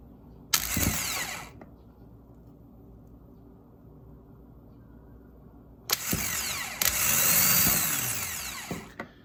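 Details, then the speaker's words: 2011 Toyota Corolla starter tested by bridging its plug with a screwdriver: two bursts of high free-spinning whirr coasting down with no engagement clunk; motor spins but pinion doesn't slide out, so starter needs replacing. "This motor is supposed to slide up and spin and come back down. As of right now, all we're doing is just staying right."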